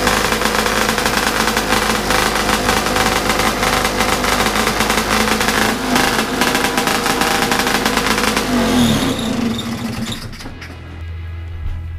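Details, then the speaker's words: Bigbore stroker 277 two-stroke snowmobile engine after PTO-side seal fix, first full-throttle run in a near-freezing garage: held flat out, it plateaus around 8800 rpm, about 700 short for the pipe; owner thinks the clutch setup needs changing. "I I think I need to change the clutch setup a little bit because I don't think it's running at right rpm yet"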